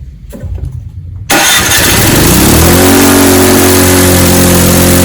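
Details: Snowblower that wouldn't start in fall, after carburetor cleaning and fuel line reconnection. Primed, mid-choke: a few cranking turns, then it catches and settles into a smooth, even idle. Starts and runs normally after fuel-system repair.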